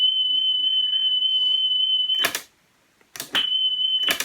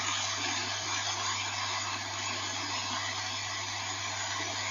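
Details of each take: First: National Panasonic RS-612 cassette deck, about 1978, reassembled after service, playing a 3 kHz test-tape tone on the right channel only: a clean, steady beep without wobble, broken by tape clicks; playback speed sounds stable. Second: National Panasonic RS-612 cassette deck, about 1978, long stored in a garage, playing back through laptop speakers before alignment: a loud, steady airy hiss over a low mains hum, far too much tape hiss.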